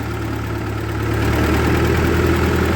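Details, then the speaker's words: 1948 Ford 8N tractor towing a scrap-metal trailer uphill in second gear, then shifting into third, below full speed, oil pressure reasonable: a steady, even low drone that firms up under the pull, no knocks or misses; the engine is healthy under load. "see if it'll pull it in third yeah no worries at all good she got lots of power oil pressure is reasonable it's not even really at full speed"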